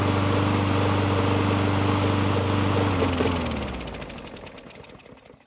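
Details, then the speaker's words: Murray mower that won't start: airbox primer button did nothing, but with fuel poured in directly the small single-cylinder engine fires and runs briefly, then dies; carb works to some extent but isn't priming. Runs only on direct fuel prime. "So it looks like the carb does work to some extent, but it doesn't seem to be priming"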